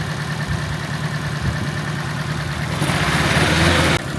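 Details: Nissan S13 at idle, shaking and smelling of fuel: uneven stumbling beat with an irregular thump from a misfire, suspected on cylinder 2. Injector possibly stuck open or a bad coil; coil packs are swapped to see if the fault follows.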